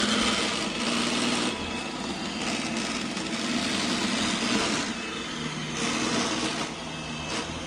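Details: Brand-new iRobot Roomba Combo, loud since out of the box: a small motor hums while an uneven, chattering rattle comes and goes as it moves. Nothing is caught underneath; cause not found.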